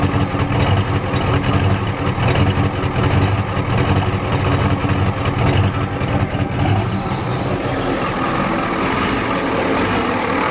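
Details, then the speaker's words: 1993 Ford F-250 XLT 7.3L IDI diesel, restarted after sitting about a year on a weak battery, now warmed up, idles rough and lumpy with an irregular knock and shaking; good oil pressure, charging fine; owner thinks it's out of time; injection pump replaced before. "it's warmed up now and it's not running too good it's out of time hear it sounds funny it's out of time"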